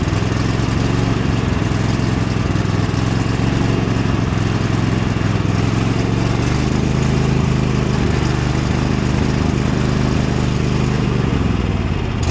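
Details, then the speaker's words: Cub Cadet tractor small engine with rough idle: revs drift up and down by themselves instead of holding steady (hunting/surging idle); new carburetor bought, owner suspects dirt stuck in a carburetor needle, possibly wrong replacement carb. "as you can hear it revs up and down revs up and down revs up that is just play simply something in the carburetor that's that's all it is"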